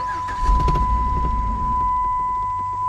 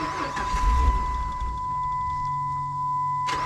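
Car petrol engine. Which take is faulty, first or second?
first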